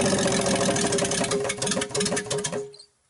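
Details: 1960s Rambler 195.6 engine on its first start, choke on, oil full. Hard, steady bottom-end knocking at about three per second over a rough idle until shutdown. The owner thinks it is a long-standing fault; cause not confirmed.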